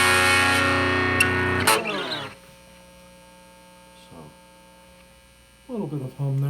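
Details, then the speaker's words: Homebuilt McGrath Mini guitar amp at full gain: after playing stops, a low steady hum with a faint buzz changes as the player moves; it comes from the single-coil guitar pickup, not the amp circuitry. "the full game but not uh not too bad considering it's a single coil guitar you can hear as i move around it's really mostly from the guitar from the app so my circuitry came out pretty clean and good performance"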